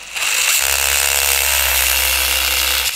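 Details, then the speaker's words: RC adventure crawler (Lycan) lifted and run with clip-on mic at transfer case: steady high electric whir with even gear buzz, no clicks or grinding; smooth because motor (dinamo) was repositioned and re-mounted with insulation tape. "bisa kita lihat sama-sama tidak ada bunyi-bunyian yang mengganggu seperti kertas krep dan lain sebagainya di bisa dibilang ini sudah cukup halus"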